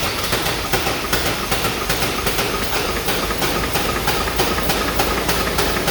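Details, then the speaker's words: 7.3 Powerstroke diesel truck trying to start on ether, running rough with hard uneven clatter; compression fine but not building oil pressure to fire injectors; rough running and knock. "So the good news is we have enough compression for the engine to run. The bad news is it's still not building oil pressure enough to fire the injectors."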